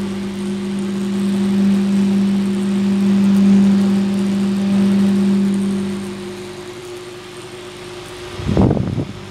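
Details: 4-inch Massey fan, 4 blades, single speed, reportedly over-revving: steady faint low buzzing hum at one pitch while running, then handling clatter at the end; cause unclear.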